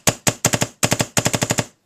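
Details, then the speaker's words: DLX Luxe 2.0 paintball marker dry-fired with LV1 muffler, manifold screw adjusted in too far: quick bursts of sharp pops, six to eight per second, with a soft wheezy edge; bolt goes forward fast but returns slow and sluggish. "I can hear this like wheezing from the bolt, and I know you can't see it on the camera, but I'm watching the bolt, and it doesn't seem like it has a lot of pressure coming back. It's going forward fast, but the return seems slow and sluggish."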